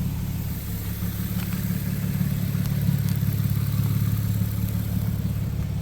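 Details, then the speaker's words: Nissan Xterra, muffler chopped off, exhaust leaking at the wheel wells, idling then given throttle snaps. Deep, loud, throbbing exhaust rumble from a loud exhaust leak the owner plans to fix with a new pipe. "let's give it a couple of throttle snaps so we could hear that whole 200 61 horsepower exhaust leak yeah that's garbage can't wait to fix that"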